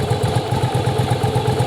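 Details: Yamaha Virago V-twin running during strobe timing check: even, lumpy twin idle about eight pulses a second, no knocks or misses; firing and timing correct.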